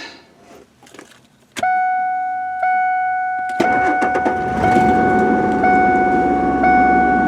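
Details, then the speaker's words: 2003 Ford F150 after ignition lock cylinder replacement, transponder chip held outside the column while cranking: chime, short crank, engine catches cleanly and settles to steady idle; normal start. "And there we go. So it did start out here, and of course this is where it would be if it were in the key."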